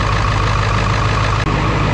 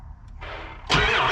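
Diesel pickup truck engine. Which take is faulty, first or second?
second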